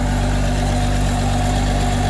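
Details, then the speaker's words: Six-cylinder engine later the same day after reassembly, in neutral: steady, even, quiet idle with no misses or knocks and a little smoke; running on all six and sounding much better than that morning. "oh that sounds infinitely better than it did this morning it's quiet running up a little smoke it's okay we're not gonna die but uh that is running on all six sounds better it sounds great"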